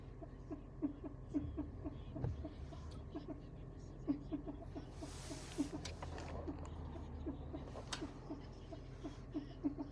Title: Generation two prius weird noise